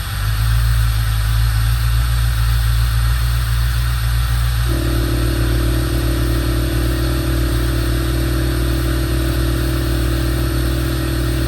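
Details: 1988 Corvette V8, first start, with new 800 CCA battery and intake not installed: a brief rev settles into a steady deep idle with an even beat, no knocks or misfires; sounds normal.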